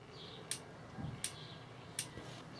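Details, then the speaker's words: Dometic/Electrolux RM212 3-way caravan fridge on a 12 V supply, igniter switched on: sharp, crisp high-voltage spark ticks about every three-quarters of a second in a quiet room. Igniter sparking normally; the fridge had been hard to light. "away you can hear it ticking. Now you need to be careful you don't touch anything, because that's a high voltage ignition."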